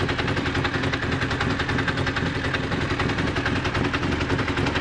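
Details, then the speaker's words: Honda CBR1000F project bike idling with a loud, steady, fast metallic rattle of about three to four taps a second from the rear of the engine; the owner suspects the clutch, cause unconfirmed. "Doesn't sound very good, does it? Well, that's alarming. Yeah, it sounds back here as a clutch. Well, okay, it's just something to do with a clutch and it's not something major."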